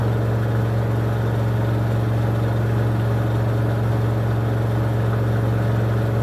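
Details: 2006 LG WM14225FD front-loader on the final 1400 rpm spin of a 60°C cotton cycle, with a very unbalanced load. Steady deep hum and low rumble at top speed; owner hears the drum bearings going at 1400 rpm, and a replacement machine is ordered.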